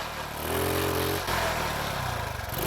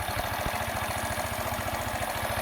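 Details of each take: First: Carbureted engine with rich mixture (black sooty plug), idle screw missing washer and rubber ring replaced from donor: sputters and surges unevenly, revs sag as throttle opens, then stalls; no real change. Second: Small single-cylinder engine after all carburettor parts were moved to a third body with no accelerator pump: low, even putting at about eleven beats a second, steady idle, though it still stalls and backfires through the carburettor when throttle is added.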